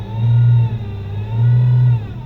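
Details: Dodge Journey, roughly a 2015, with a 62TE six-speed automatic, brought in with a no-reverse complaint and a P0700 code: while backing up, a low droning whine swells and fades in two pulses. A transmission whine is suspected but not confirmed.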